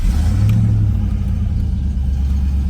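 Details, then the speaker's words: 1995 Mustang GT 5.0 V8, cold start on a chilly day just after installing a cold air intake: deep steady rumble, slightly raised idle and a bit more intake roar, a little louder but smooth; runs well. "So it does seem like it might be a little louder on the kind of cold start there. But it's not terribly loud. The car seems to run good."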